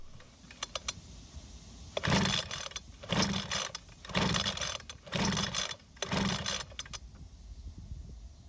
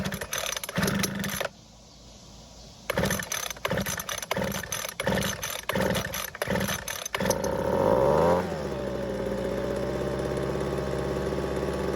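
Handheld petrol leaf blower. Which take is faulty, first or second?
first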